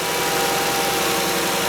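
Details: VW Routan (Chrysler Town and Country) 3.6L with a hard or no start when cold; checking fuel pressure with a gauge at start-up; steady, even idle with a faint constant whine, no dips or stumbles; normal idle.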